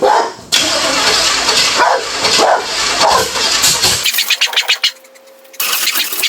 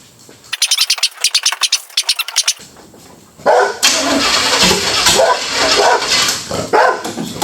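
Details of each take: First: Budget Beater Chevelle, sitting since 1987, on its first start attempt after brake and hose work. The engine churns and catches in ragged bursts, stumbling and dying, slow to fire. The owner suspects ignition timing, with the distributor cap about two teeth off its mark. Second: Chevrolet Chevelle V8 that had been sitting since 1987, first start attempt. Several seconds of steady rhythmic cranking, then the engine catches and roars to a strong, even run with no odd knocks.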